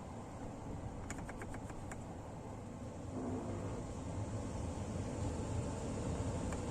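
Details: Car with automatic climate control: short burst of quick light clicks then steady cabin hum; normal climate-control flap actuator positioning, not a fault.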